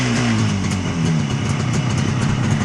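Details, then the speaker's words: 1967 Bridgestone GTR 350 two-stroke after engine and crank rebuild, carbs set and clutch adjusted, cold start at about 45°F outdoors: starts right up smoking into a steady, even idle with a light rasp and no misses or knocks; normal cold idle. "all right here starts right up smoking nice got the clutch adjusted"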